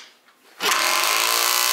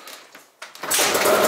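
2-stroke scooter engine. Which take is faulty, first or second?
first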